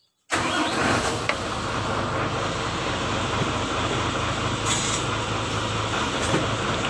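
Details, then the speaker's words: Mitsubishi Fuso 4×2 SL truck idling as the clutch pedal is worked after final clutch height adjustment: steady idle, no clicking or rattle; clutch now quiet and height normal. "Oke, teman-teman, bagian kopling sudah selesai. Jadi tinggi badannya sekarang sudah normal."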